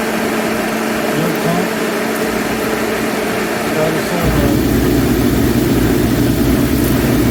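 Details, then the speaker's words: Master kerosene torpedo heater with E1 error, test run with igniter, pump and solenoid on; steady blowing roar jumping louder and rougher about four seconds in; flame shooting out the end, possibly still warming up, owner unsure. "I'll be de it's flame shooting out the end but it's hard to say this might be getting up to temperature still but have to give that a look"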